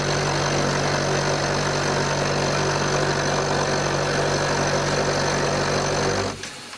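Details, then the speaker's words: Mini lathe cutting with a harsh, fast rattle over its motor hum, coming from the loose top cover with interlock switch, taped because it pops open. Finding: rattle from loose top cover. "So up on top of the lathe here, we got this cover. There is an interlock switch. I've got a bit of tape on it because it pops open sometimes, but hear the rattle."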